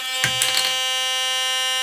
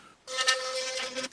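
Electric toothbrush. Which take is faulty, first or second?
first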